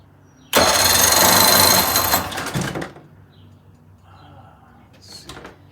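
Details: 1980 Chrysler 45 hp two-stroke outboard, loud rough cranking that never catches; spark present, choke working, fuel smell; suspected ethanol fuel, a plugged carburetor or not using the fast-idle warm-up lever; later started and idled fine.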